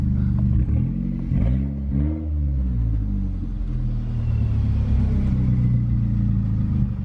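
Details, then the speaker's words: Small turbocharged car driving slowly in a drive-through line; engine revs swell and fall with a faint high whistle rising under load as the little turbo spools up normally. "If you guys listen closely, you can hear the little turbo spool a little bit."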